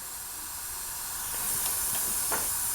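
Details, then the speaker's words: Tire with a slow leak from a very small pin or nail: steady sharp hiss of air escaping the puncture, growing slightly louder with faint clicks, before drilling out the hole for a plug kit repair. "just so you can see air is really blowing right now okay i don't know if you can hear that but it's blowing pretty good"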